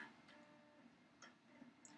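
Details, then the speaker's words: Classic compact Macintosh smoke test, suspected bad video unit: faint, sparse clicks about every half second over a quiet room with no spin-up whir, the floppy drive stepper pulsing without turning the disk. "yeah she's sitting there pulsing I can hear the stepper motor sounds like it's trying to cycle"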